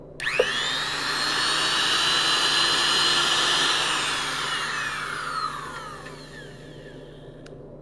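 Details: Vintage Powr-Kraft 8542A modular router, test run after its bearings were replaced: it spins up to a clean, steady high whine, holds evenly and winds down smoothly with no grinding or rattle, a normal run with healthy bearings.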